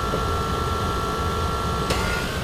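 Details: 2004 Lexus GX470 after replacing the leaking driver rear air spring, with the height control switched off then on again: the compressor hums with a steady whine as the airbags inflate and no leaks are heard; normal operation.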